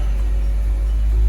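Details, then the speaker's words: Dodge Journey 3.6 engine after repair of valve-tapping noise: worn camshaft reconditioned and 4 faulty rocker arms replaced; smooth even low idle rumble, no valvetrain ticking, oil pressure monitored fine, engine running clean. "em qualquer coisa tá funcionando já não existe mais o barulho de batida de válvula funcionando redondinho"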